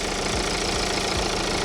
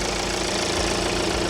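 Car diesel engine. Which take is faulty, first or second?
first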